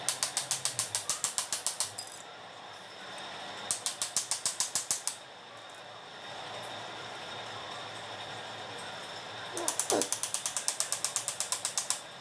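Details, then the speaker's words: Car windshield wiper linkage turned by hand, motor forced: bursts of fast dry ratcheting grind, three or four clicks a second; pivot shaft rusted from rainwater and jammed inside plastic housing, to be serviced and freed. "कि अ है इसके shop में पूरा जंग पकड़ा हुआ है यह बारिश का पानी इसमें जाता है कंटिन्यू अगर बारिश तो धीरे-धीरे शॉप जंग लगना चालू है और जंग लग करके प्लास्टिक के अंदर में जाम हो जाता है"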